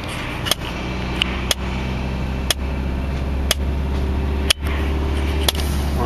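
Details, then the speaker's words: Sharp, loud clicks about once a second over steady road and engine drone inside a van stuck in a traffic jam in France; a clicking noise of unknown origin. "a van with a crazy clicking noise which you can hear just here we don't know what it is but it's driving us all completely insane"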